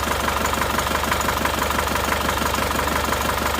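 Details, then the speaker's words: Isuzu Panther diesel with rough, shaking idle from cold to hot: uneven, lumpy idle beat about twice a second stays unchanged when the number 1 injector line is cracked, so cylinder 1 is not firing. "Jadi ketika kita melepaskan tekanan di pipa nozzle nomor 1 ini tidak ada reaksi. Jadi yang silinder nomor 1 ini tidak bereaksi."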